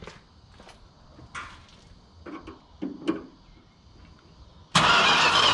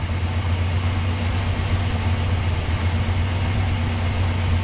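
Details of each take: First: 1968 Chrysler Newport, after overheating and a cooling-system flush: a short burst of fast, even starter cranking that never fires; cranks but won't start while the owner checks spark. Cause suspected, not confirmed. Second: 1968 Chrysler Newport after the points were fixed, cold start after sitting overnight: catches and settles into a smooth, even low idle with a steady rumble and no misses or knocks, then warms up for the cooling-system check.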